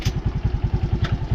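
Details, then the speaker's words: Suzuki Raider J Fi single-cylinder idling in neutral after valve clearance adjustment (intake 0.05 mm, exhaust 0.13 mm): low, even thumping, about eight beats a second, with the earlier top-end ticking gone; normal idle. "lagitik niya mga kaibigan neutral na-lessen yyung lagitik"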